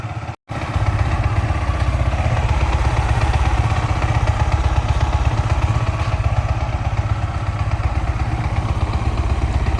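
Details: Yamaha R15 V4 engine: steady even idle with a smooth low putter and no rattle or ticking from the top end; engine sounds healthy. Normal idle.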